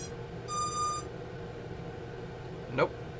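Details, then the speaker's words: Bugs 3 quadcopter powered up with its version 1 transmitter after trying to bind that transmitter to another quad: a single half-second high beep, a light click, then quiet; it is unbound and must be re-bound and calibrated. "You see? Because we have to bind again. Once you try to bind it to something else, and make sure you always calibrate once you redo that."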